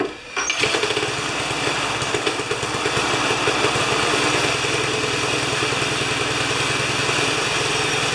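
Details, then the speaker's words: Older Briggs & Stratton mower after replacing a badly fouled spark plug: starts after brief crank and settles into a steady, even high-pitched buzz with no stumbles; normal running, an easy fix. "well that was an easy fix"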